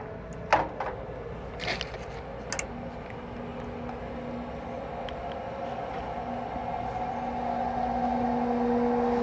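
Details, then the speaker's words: AC not cooling; furnace blower motor, not seized, on a call for cooling: a few clicks, then a low hum that slowly swells over several seconds as the blower struggles to start; a failed run capacitor, and replacing it fixed it. "Were you able to hear that? It seems like it was really slow to start, so I'm gonna check the capacitor."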